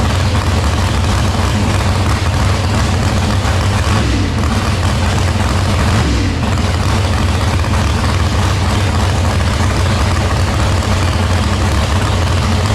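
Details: Engine back in after a broken valve, new rocker arms: deep, loud, steady idle, even beat throughout; motor sounds healthy.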